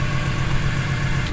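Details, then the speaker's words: Modified E46 BMW M3 on an RKTunes tune: lumpy, uneven idle with a low pulsing thump about every eighth of a second as it struggles to idle; owner hopes it is not rod knock, cause unconfirmed. "I'm not sure as long as I'm not getting rod knock or anything like that because it's just struggling to idle looks good though"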